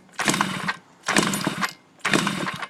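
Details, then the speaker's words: Yamaha Chappy moped during HPI system install: three half-second cranking bursts about a second apart, engine never catches; likely flooded, owner also suspects too many kill switches. Cause not confirmed. "Of course, we're kind of flooded out at this point, but, oh my God, are you kidding me?"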